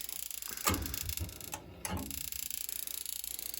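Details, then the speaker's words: Slant Fin Galaxy gas-fired steam boiler, no heat: rapid steady stream of clicks with no ignition, pilot never lights; failed Honeywell intermittent pilot module, replaced. "So it clicks continuously, Yeah. like that."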